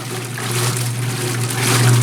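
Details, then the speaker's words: Antique Maytag wringer washer after heavy maintenance including new seal, filled with water: low steady drone with water sloshing back and forth, even agitation, no knocking or grinding; normal. "See what happens. It's gonna slosh everywhere. It's alive!"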